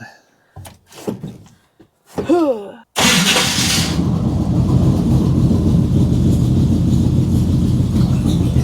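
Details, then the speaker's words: 1962 Ford Fairlane 500 V8, cold start after sitting 10 days: the starter cranks briefly with a small ping, not a grind, then the engine catches and settles into a steady, even idle; sounds healthy. "a cold start. The starter did make a little pinging noise, but wasn't a grinding. But that's a cold start."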